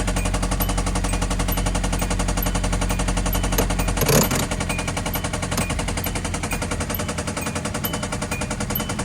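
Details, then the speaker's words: Hyundai Elantra bought back, dirty oil, oil topped up before restart: hard, sharp, evenly spaced knocking at about four per second at idle, an oil-starved bottom end; owner expects to junk it. "It's a wrap, guys. This thing knocking at the light."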